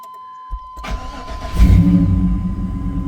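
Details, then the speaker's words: LS-swapped 1999 Chevy Tahoe V8, not started in a while, cold start: short crank, catches within a second and settles into a steady, even, deep rumbling idle; normal start. "Fires right up."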